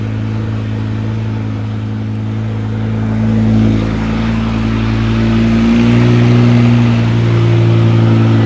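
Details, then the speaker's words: 2006 BMW E60 M5 S85 V10, replacement used engine first start with exhaust off; loud, deep, steady idle with even pulse and slight rev rise, no knocks or ticks; runs really smooth, no issues underneath. "Oh my gosh, that was so loud with the exhaust off. But man, it runs. It actually ran really smooth and we didn't have any issues underneath."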